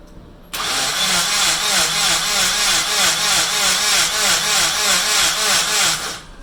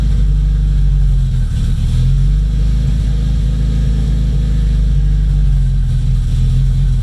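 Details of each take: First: Rebuilt Nissan KA24DET turbo engine cranked with the fuel pump and ignition disconnected to build oil pressure: a steady fast starter whir with an even pulse about three per second, never catching. Normal cranking, no firing. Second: Freshly rebuilt Nissan KA24DET at first start, idle surging and sagging every second or two; owner says vacuum leak from untightened lines to the blow-off valve causing jumpy rpm; oil line just retightened, oil pressure good.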